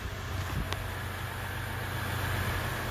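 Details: 2016 Ram 1500 EcoDiesel, previously no-crank/no-start with shifter locked out, now started: steady low diesel rumble at idle with an even beat and no knocks or misses; engine running normally despite DEF warning messages.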